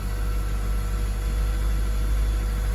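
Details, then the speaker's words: 2002 Acura RSX Type S with K20 engine, 10–15 seconds after a cold start: smooth, steady idle held at about 1500 rpm, a little higher than normal, with no misses or hunting yet. "You know, you got the typical high idle, maybe even high, a little bit higher than normal perhaps, but you got about 1500 RPM."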